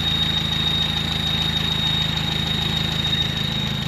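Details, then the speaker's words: Carbureted truck, just running on a fresh rebuilt carb, needs more idle. A thin, steady high squeal over a lumpy petrol idle. Owner suspects the fan belt, but it is later identified as the squeaky clutch release (thrust) bearing. "Not sure what that squealy noise is."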